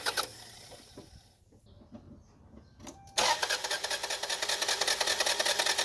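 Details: Toyota Camry after new timing belt installed, crank sensor disconnected to prevent starting: after a quiet pause the starter turns the engine at a steady, even rhythm, no slapping or free-spinning; normal cranking, unlike the fast crank with torn belt.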